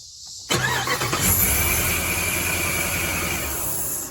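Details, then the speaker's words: 2006 Dodge Ram 1500 Mega Cab after a fuel pump replacement that didn't fix it: the engine fires and runs rough about three seconds, then dies when the coil is plugged in. A bad coil or shorted wiring is suspected. "And again, plugging that coil and kills it, which I am really wondering if I don't have a short, some wires together, or something along those lines."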